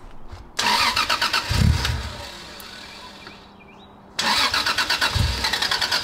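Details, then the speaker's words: 1990s Toyota Soarer drift car on first start after mods: cranks, catches, runs ragged two to three seconds then dies, no power on throttle; low fuel pressure from slit fuel pump hose in rusted tank; fixed hose. "so car will start up and idle for 2 3 seconds and it sounds like it's just completely losing Fuel and uh dying so that's not too chill"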